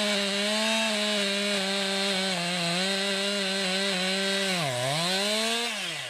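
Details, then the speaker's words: 2020 Stihl MS261, non-M-Tronic carbureted, 20-inch bar, cutting a poplar log about 1.5 ft across with a straight cut and plunge cut: high steady scream, pitch sags briefly under load then recovers cleanly; normal cutting under load. "i'm gonna cut it off i'm going to cut straight down for a little bit and i'm going to do a plunge cut"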